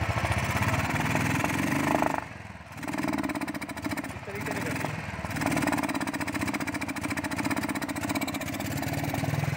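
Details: Royal Enfield Thunderbird 350, recently serviced with new plugs and air filter, misfire persists: single-cylinder idle stumbles, dropping out twice in ten seconds; traced to the carburettor throttle butterfly, fixed by fitting a Bajaj Pulsar carburettor butterfly.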